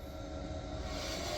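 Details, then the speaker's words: Fiat 500e, in drive with wheels spinning freely: steady even electric-motor whir with faint fixed whine; drive motor running normally. "let's see if it goes into drive and it does do we get spinning wheels well it's spinning on the other side from the differential I can hear"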